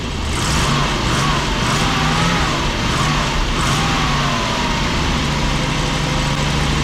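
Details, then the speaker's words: 1987 Class A Coachmen motorhome gas engine, still cold, gas pedal feathered for minutes to keep it running: revs hunt, rising and sagging, with no choke fast idle; rough cold idle, automatic choke inoperative; oil pressure good, alternator charging. "So I gotta sit here and do this for 2, 3, 4 minutes. Kind of feather the gas pedal, keep it running. Then it'll be okay."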